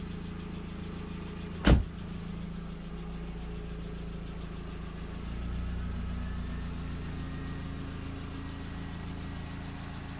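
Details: MK4 Jetta 1.8T idling after head gasket repair with replacement head, new timing belt, water pump and thermostat; steady even idle, smooth low hum, no knocks or misses; smoke, suspected valve cover leak from omitted camshaft covers.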